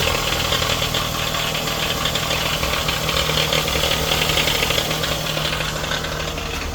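Steady idle with a light, fast metallic rattle riding over the engine note, about three or four a second; source not pinned down.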